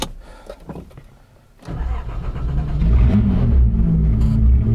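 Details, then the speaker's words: Datsun 280Z with L28 engine and straight-pipe exhaust: steady low churning crank that never catches; car died instantly when passenger door was shut and won't restart, cause unknown. "I mean, it was instantaneous. So I don't know, and it won't start over. You know, it sounds like it wants to."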